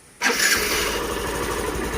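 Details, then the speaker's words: Hero Glamour BS6 FI motorcycle after self-starter repair (armature, carbon brushes and magnet cleaned and refitted) for a clacking starter: starter catches cleanly, engine fires quickly and idles steadily, no clacking; normal electric start. "देखिए अब कोई cut की आवाज़ नहीं है। फिर से बंद करके मारना तो एक बार। एकदम प्रॉपर काम कर रहा है i3s ग्लैमर।"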